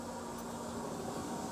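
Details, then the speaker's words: Nissan Patrol diesel, newly wired fuel pump on a 15A fuse, ignition cycled with the engine off: loud, steady electric hum at one pitch, no leaks seen, very loud; fuel pump hum from hard mounting. "I can't see any leaks but it is really really really loud"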